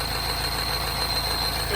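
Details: R60 Mini Countryman Cooper S with engine light, running rough and revs hunting just after start: steady high-pitched whine over idle, first suspected as the tensioner, actually a vacuum leak from a torn PCV diaphragm.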